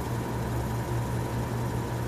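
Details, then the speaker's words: 1931 Frigidaire W-5 antique refrigerator condensing unit, restarted during refrigerant charging after adding belt tension: steady low hum with faint even tone, no squeal or chirp; belt drive now quiet and normal. "See, that stops the chirping."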